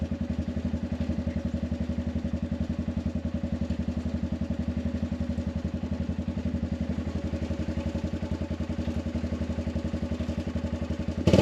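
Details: Arctic Cat 500 ATV outdoors near 0°F, running after no-crank no-start fixed by recharging dead battery: quick even thumping idle, steady beat, no stumbles, clatter or starter clicking; running fine.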